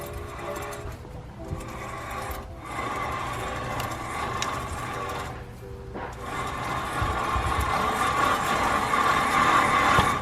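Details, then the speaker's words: 1999-2006 Chevy Silverado 1500 front hub, rotor and caliper removed, spun by hand: rough gritty whirring rumble from a bad wheel bearing, heard as crunchy grinding when driving. "i can show you guys um what a bad wheel bearing sounds like uh on this side you guys can hear the noise mark so as you guys can see when i spin it"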